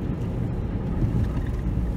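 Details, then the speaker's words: 2004 Chevy Cavalier 2.2L Ecotec with codes P0300 and P0171, cat glowing red after long drives: while driving it runs very rough, revs plunging near stall, no acceleration, check-engine light flashing. It acts like two or three cylinders are firing. "the RPMs just plummet almost installing when it comes back up and cars running the real rough right now acts like it's running on two or three cylinders"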